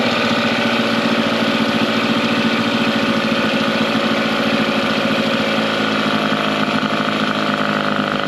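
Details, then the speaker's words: Mercury 9.9 outboard after years of sitting, carb and plugs upgraded to 15 hp, new hoses and gear lube, running in a test tank: steady, even putter with no misses or surging after over 10 minutes; healthy idle. "so the motor was running over 10 minutes and didn't stall out or anything"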